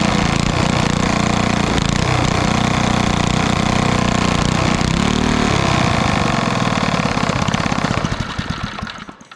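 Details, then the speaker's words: 1964 Wards Power Kraft 1250 W generator with about 3 hp Briggs & Stratton engine: steady high drone, then the beat slows and it dies within seconds. Will not idle; owner unsure, possibly no idle circuit. "It doesn't idle, but I'm not sure why it didn't idle at all, unless this doesn't have an idle circuit in it."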